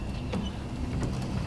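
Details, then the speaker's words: 1978 Buick Skylark, wipers previously not working, after rewiring to ignition-switched power from old climate control plugs under dash: low steady electric motor hum with faint sweeps; wiper motor running smoothly, healthy. "So as you can see, the wipers are in fact moving, and then down under here"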